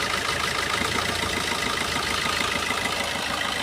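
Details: Four-cylinder diesel car with all injectors re-enabled after an OBD2 scanner cut-out test of each injector. The idle is steady with an even tick and light hiss and no misses, so all four cylinders are firing.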